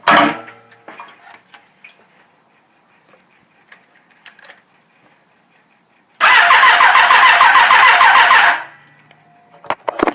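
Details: 1989 Suzuki GSX-R750; starter whirs steadily for about two seconds with no firing. Crank no start from fuel starvation, with no gas reaching the carburetors because of a bad petcock.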